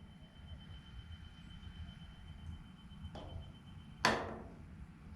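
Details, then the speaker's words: Septic system after replacing the burned-out effluent pump and faulty float: yellow high-water alarm float raised by hand, steady high electronic alarm tone heard faintly from the house through the open door; alarm working. "What I'm doing is I'm raising up this yellow alarm, and I have the door to my house open, so I should be able to hear the alarm if it goes off."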